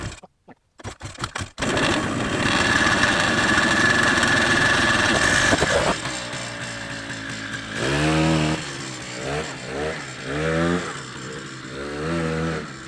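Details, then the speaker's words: Honda FL250 Odyssey test run, primed with a splash of gas. The small engine catches after a few tries, holds an even buzzing run and takes clean throttle blips. Normal running. "well I'd say that was a successful test"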